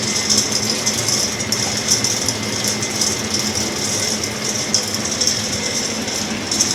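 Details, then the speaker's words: Axeman-Anderson 130 coal stoker heating a Mahoning 500 wood boiler, one week in, cycling to about 180°F: steady mechanical clatter with even high-pitched rattle and hum, no hitches or grinding; no draft or heat problems, running normally. "no draft problems no heat problems no problems at all"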